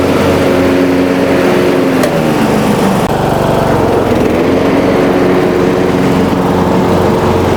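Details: Riding mower after fixing a deck-engage cable that wasn't moving with the lever, so the belt now tightens: steady, even engine drone with blades spinning, no misses, surging or belt squeal; runs healthy under load.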